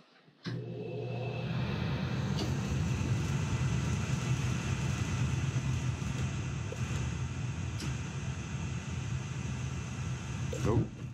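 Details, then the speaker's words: Gas boiler with intermittent delayed ignition and backfire: sparks repeatedly before lighting, then a sudden thump and steady low flame roar; owner suspects ignition module or dirty flame sensor. "definite problems with that ignition module it's either that or dirty flame sense but you hear it's sparking and sparking so"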